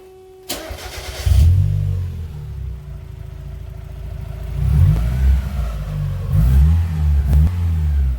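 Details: Mazda Miata, stock intake, recorded as the before-sound ahead of a DIY cold air intake install. Starter catch, then a steady idle with a few quick throttle blips that rise and fall cleanly; a healthy engine.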